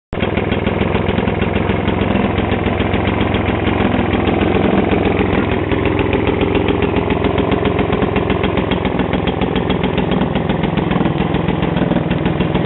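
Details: Vintage Atco Standard 24-inch mower, first start after 20 years storage, freed from seizure and spark restored: fast steady chuffing with a sharp raspy crackle each beat; the exhaust is leaking and needs repair.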